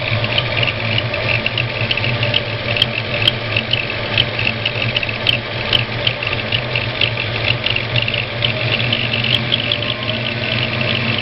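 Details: Ford 302 V8 at steady idle with a high, faint whistling or chirping squeak from the #1 cylinder, in time with the valvetrain. The noise stops with both rockers removed and returns when the exhaust rocker is installed. Owner suspects a bad roller, not confirmed.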